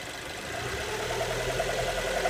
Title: Mito weird engine noise, any ideas?